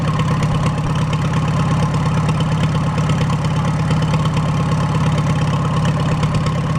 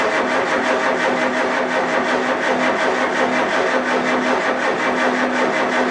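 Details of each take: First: Farmall A with a freshly rebuilt engine, just started with no radiator or coolant and valves still to adjust. A loud, unmuffled, even four-cylinder putter of about three firings a second with good oil pressure and no knock: normal idle. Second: Farmall A tractor, newly installed engine, cold start: turns over and tries to catch in an uneven, surging rhythm that never settles. Hard starting; owner suspects a carburetor problem, not confirmed.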